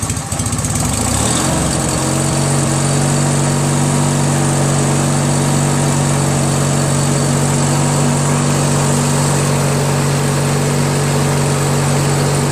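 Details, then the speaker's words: Craftsman DYT4000 lawn tractor repowered with 14hp Briggs opposed twin, electric PTO engaged after releasing idler tension: short rough patch then even steady low idle, no misfires or knocks, still charging about 12.2-12.25 V; runs healthy. "and now the PTO is on so as you guys saw uh with the engine idling like this at low idle still charging slowly at 12.45"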